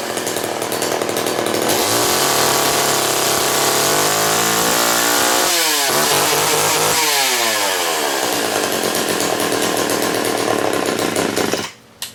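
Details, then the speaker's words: STIHL 015L chainsaw with 1/4 inch pitch chain, started on choke: small two-stroke buzzes at a fast steady pitch, briefly dips and picks back up cleanly, then shuts off; runs pretty good, normal running. "And that one runs pretty good. So that's my collection of saws, but the guy in the middle I don't really use much anymore."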